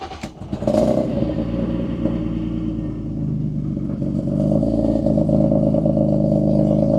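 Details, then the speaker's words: BMW E36 just after fitting a new O2 sensor: brief rev, then a steady, even idle hum with no misfire or stumble; running smoothly, much better than before, though still smelling slightly rich. "But, it seems pretty good so far. It's a lot better than it was yesterday. Still smells a little gassy, like rich. Oh, it's idling so smooth right now."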